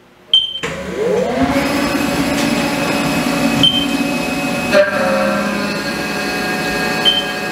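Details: Haas mill making its first part, decking the top of a 4140PH steel bar with a 4-flute end mill: a steady spindle whine under an even cutting hiss with a few light ticks, a clean cut.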